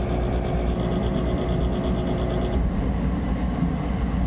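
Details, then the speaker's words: Gas furnace short cycling: blower motor hums low and steady, then its tone drops away as it fails to reach and hold speed and shuts off; capacitor tested okay; owner suspects the motor is worn out and needs rebuilding or lubing. "I think what's going on is the fan is struggling to get up to speed and to stay up to speed um because I think it's just worn out"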